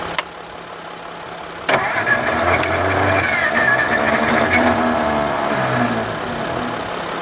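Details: 1954 Ford Crestline Skyliner with battery cables on, points gap opened, choke fully closed; starter grinds, engine catches unevenly then dies after a few seconds; starter kicking out; owner suspects carburetor needs rebuild; engine fires briefly but won't keep running.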